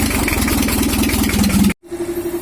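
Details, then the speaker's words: 1982 Toyota Hiace LH11 diesel, previously overheating and rough, after rotor head upgrade: steady, even diesel chatter with regular firing beat, no knocks or misses: normal idle. "untuk mesinnya masih Kita rakit karena sepengetahuannya udah selesai suaranya juga udah pas"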